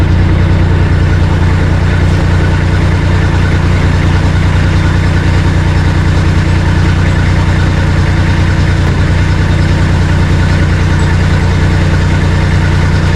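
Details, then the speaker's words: Bomag BMP 8500 compactor diesel after bleeding the fuel system for fuel starving issues: steady, even low rumble holding speed while moving without stumbling or dying; runs normally. "we'll see if I can move it around without it dying let's let's see I guess it just needed bleeding"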